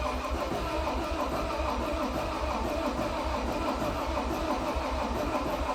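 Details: 2012 John Deere 333D skid steer, reman long block diesel, first test fire; steady starter cranking drone about seventy turns a minute, never fires; cranks no start, owner suspects air in fuel, not picking up fuel.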